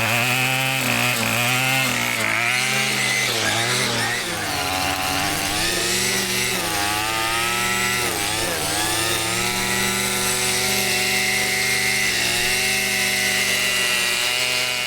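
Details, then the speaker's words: Two-stroke weed eater after carburetor adjustment: steady high buzz, revving up and down cleanly with no stumbling, cutting out or rough idle. "I just weed eated around my whole house. Didn't cut off, didn't have a rough idle. It ran smooth, so I'm 100% for sure on that weed eater that I can take it"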